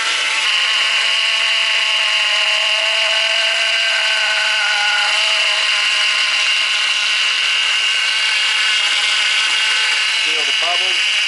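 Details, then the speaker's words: Ford BA Falcon after power steering line replacement, bleeding system while cranking on jumper pack, reservoir level dropping: loud harsh high whine with wavering tones over hissy rush; pump cavitating from air in the system. "i really hope it stops making that noise in a hurry hopefully it's just air cavitating so let's uh chop this back up"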